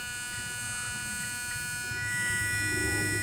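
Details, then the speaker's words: 1998 Honda Accord with the engine off and key on: a steady, fixed-pitch electric buzz from a leaking transmission component. The owner suspects a bad shift solenoid; this is not confirmed. "cars are even on. You can hear the noise. I'm gonna show you. The car's not even on. The key just in the on position. It is doing that."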